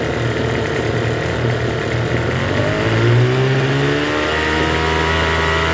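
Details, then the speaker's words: Troy-Bilt TB272V two-stroke leaf blower after turning the single-D half-moon carburetor mixture screw out about one and a half turns: steady buzz, pitch creeping upward then settling fast; runs but idles a little high. "It runs. It's running a little high though. Well, not too bad, but it's like I said, it's running high."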